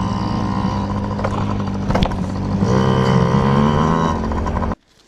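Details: Yamaha PW50 two-stroke, just after carburetor cleaned (jets, float checked) to cure bogging and dying at wide open; warmed up, being run dry: buzzes hard, picks up cleanly without bogging or stumbling, then cuts out; carb fuelling right.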